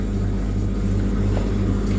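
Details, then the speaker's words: Scotsman MC16/MC46 ice machine after control board repair: steady low hum from compressor, circulation pump and triac-controlled fan, even with no rattles or cycling, running normally; no ice made yet. "Okay, partial success. As you can hear, the water is sloshing around. Circulation pump is running over there. Compressor's running, and the triac controlled fan is operating fine."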